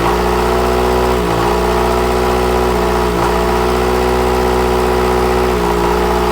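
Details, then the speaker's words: Onan diesel generator on a 1979 Hatteras 58' boat, with fuel supply problems, after fuel pump priming: steady diesel clatter with pitch dipping every second or two then recovering; speed hunts, owner suspects a little air in the fuel line. "I think it still has just a hair error in the line there with the surging."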